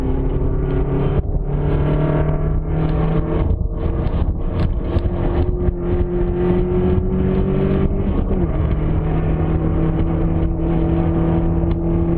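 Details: 1995 Nissan S14 KA24DE powertrain swapped into a car, driven in gear while lapping: a steady tone over road and engine noise that shifts with speed and appears only sometimes; intermittent whine in gear, source unknown.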